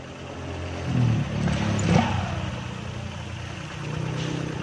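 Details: Honda Vario 125 scooter after replacing drive parts (fan belt, rollers, clips, CVT block): steady low engine hum with a couple of smooth throttle blips, no rattle or grinding from the drive; sounds healthy.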